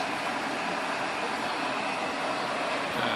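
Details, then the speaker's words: Evaporative air cooler after a fan bushing repair with hot glue, reassembled: even, steady airy rush with no knocking or rubbing, and the pump is working normally; finding: normal water pump and fan running. "ปั้มปั้มทำงานปกตินะครับเสียงอาจจะเบาเข้านะตอนนี้"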